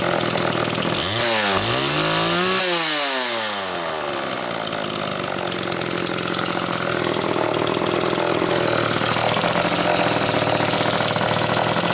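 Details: Homelite XL two-stroke chainsaw, on its final test run after the Zama C2S-H5A carburetor rebuild with the inlet needle spring correctly placed: it rips up through a couple of quick revs, then settles into a steady, even high buzz with no stumbling; healthy.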